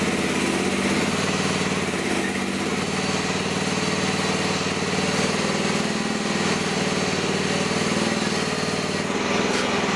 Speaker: Wow, I'm surprised. I couldn't even come close to slowing that sucker down. So there is some definitely enough power there.